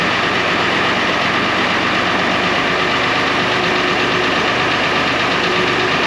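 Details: 1970 International Harvester 1456 Gold Demo barn-find diesel tractor, first start in 14 years: steady, even diesel clatter at idle with no misses or knocks; the oil pressure light goes off, so it has a normal, clean idle.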